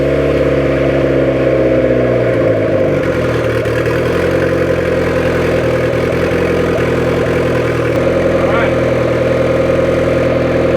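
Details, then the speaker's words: 1994 Honda Civic EX with newly rebuilt engine, first start and first run under its own power in almost 2 years after fuel system fixes; steady, even idle hum with no knocks or misses, sounds healthy and settled; normal idle. "This will be the first time it's actually been rolling under its own power in almost 2 years."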